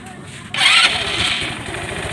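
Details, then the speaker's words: Motorstar Easy Ride 150 motorcycle unstarted for over seven years, rat-chewed wiring bypassed, oil put in the cylinder head; starter bite, catches in one click, settles into steady single-cylinder idle with slight exhaust smoke; clean start. "So ayan guys, one click lang, and then nag-uusok pa yung konting yung tambutso niya, kasi nga yung nilagay natin oil doon sa cylinder head."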